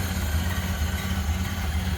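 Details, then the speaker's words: 1928 Ford Model A coupe with a 201 cu in L-head inline-4, water cooled, idling and heard at the front with the hood open. A soft, even low putter with a smooth steady rhythm and no knocks or misses: a healthy, normal idle. "But look at how smooth this thing runs. Just sounds great. Again, 201 cubic inch L-head inline 4-cylinder, water cooled."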